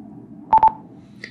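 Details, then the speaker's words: INAV fixed-wing plane armed in auto launch mode: quick bursts of four steady beeps, pause, four more when throttle is raised ready to throw; prop may not respond to throttle meanwhile, normal auto launch ready beep working as intended. "And while that noise is going on, the prop potentially isn't responding to the throttle. And this is exactly what confuses an awful lot of people. And basically, it's auto launch. This is how it's supposed to work."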